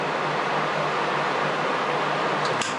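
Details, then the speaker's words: 2001 Honda 450 ES Foreman ATV, key on: constant even airy whoosh from the cooling fan running nonstop without cycling until cut off; fan hot-wired as the fan control module is believed bad, with only 3 volts measured at the fan wires. "So that's probably why the fan's hot wired, because the module's bad."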